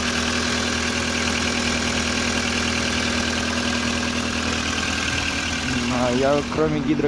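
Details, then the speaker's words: VW Polo sedan, CFNA engine, 193,500 km, cold start at −30° with the clutch pressed. Light fast valve-train ticking with no deep knock underneath; only the hydraulic lifters are heard, no pistons. "гидрокомпенсаторов ничего не слышу, никаких поршней."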